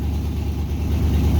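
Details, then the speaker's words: 1964 Ford Galaxie at about 88,797 miles, warm, not a cold start: deep smooth even idle rumble with no knocks or misses; starts right up and sounds pretty good, though owner feels it runs a little funny. "it's been running pretty recently so that was not a cold start rev but it does uh it does sound pretty good"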